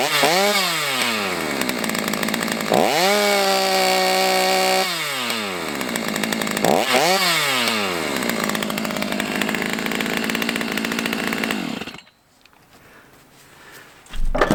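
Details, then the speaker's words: Stihl MS290 chainsaw after repair: three quick rising rev pulls, then a steady high buzz held clean before cutoff; runs well, top revs slightly short, owner thinks the high-speed screw needs tweaking. "I'm pretty happy with that right there so far. I know if I tweak that high-speed screw, I can get those RPMs on the high-speed to kick up."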